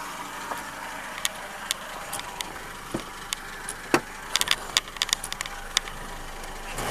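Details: 1999 Renault Megane revved: scattered sharp ticks and light clatter over a quiet engine note, with a reported whine and hum that are not clearly heard. Cause unknown.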